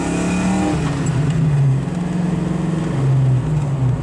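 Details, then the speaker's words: 1986 Ford Mustang, fox body V8 with new TrickFlow heads, stainless headers, 2.5-inch X-pipe, American Thunder Flowmaster mufflers: deep, even rumble pulling strongly with no misses or rattles; healthy exhaust under acceleration. "it's got a two and a half inch x-pipe with american thunder Flowmaster mufflers and tailpipes and that sounds really good that gives you that old-school fox-body flowmaster"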